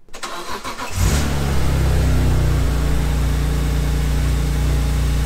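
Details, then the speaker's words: BMW E46 M3 first startup after Vanos rebuild, valve adjustment and all new seals: starter cranks briefly, then the inline-six settles into a smooth, even idle; the previous ticking is gone. Normal, warming up. "And as expected, she sounds beautiful. You don't hear the ticking anymore, huh?"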